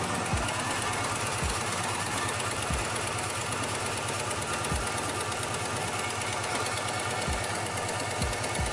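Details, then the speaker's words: 2006 Dodge Charger 5.7L Hemi V8 at idle after restart: fast, sharp ticking steady with engine speed; exhaust leak between cylinders five and seven, RTV sealant smoking. Exhaust leak ticking. "let's try it one more time start it up [Applause] nope still still still ticking blew right through it damn blew right through it boom right through it god damn it that go to smoke it's leaking between five and seven and it just blew right through it"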